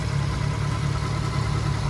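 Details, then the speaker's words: Nissan 350Z with VQ35HR engine, just fitted with a new serpentine belt: even, quiet idle hum with no squeal, chirp or belt slap, quieter than before the belt change. Normal idle. "so you guys hear that how nice and quiet it is compared to before what a beauty this is what i like to see"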